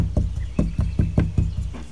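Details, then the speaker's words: 1973 Corvette Stingray astro ventilation vent trim after gently tightening all its screws to cure a rattle: dull low thuds, about five taps in two seconds, instead of the earlier clack. The vent is now tight. "sounds better yeah more of a thud instead of a clack now just go back and make sure they're all snug and tight"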